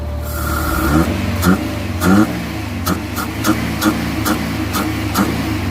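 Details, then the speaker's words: Suzuki Carry running on petrol, idle reset via scanner to about 1000 rpm with A/C off: revs rise in short bursts then sag and stumble about every second, won't accelerate cleanly; also bogs on LPG, reportedly tops out at 60. "เบื้องต้นรถคันนี้อ่าสตาร์ทน้ำมันได้นะครับแต่เร่งไม่ได้ปุ๊บๆๆๆ"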